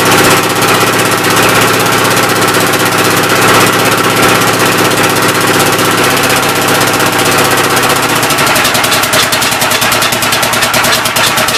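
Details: Old engine's first start attempt on a temporary coil ignition: loud, steady chugging with a raspy puff each cycle. The intake valve seems to be leaking but is not hanging open; the owner plans to pull the cylinder head and lap the valves.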